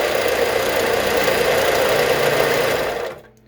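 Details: Harbor Freight 4 inch belt sander motor converted from PSC to capacitor-start (CSCR) with a Chinese knockoff solid-state start relay. A harsh, loud buzzing roar lasts about three seconds on startup as the relay holds the start winding in too long.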